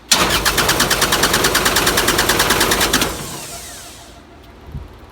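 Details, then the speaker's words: 12 kW Powertech diesel generator, Kubota V1505, after oil change and injection pump O-ring replacement, injector lines loosened; three seconds of even cranking, no start, because air trapped in the lines prevents injection pressure. "so the biggest thing right now is we have air in all these lines so you don't want air trapped in this column because otherwise you're not going to build enough pressure for the injector for fire"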